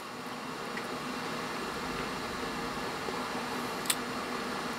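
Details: HP XW8000 dual Xeon workstation, running after power-on for testing: smooth constant airy whoosh, no ticking, grinding or pitch wobble; normal fan noise.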